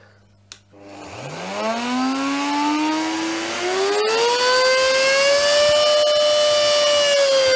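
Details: Miele S7260 vacuum cleaner motor after rebuild: spins up with rising whine into steady high hum with rough edge underneath, not very happy; worn motor bearings.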